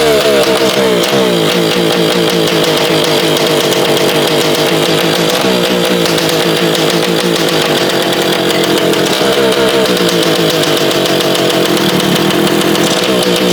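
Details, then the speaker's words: Yamaha PW80 two-stroke after an exhaust leak was fixed, running before the silencer is fitted. A crisp, steady buzzing beat holds evenly, with no hiss or chuffing from the exhaust joint; much quieter now. "all right so she's a lot quieter now that we don't have a big old exhaust leak"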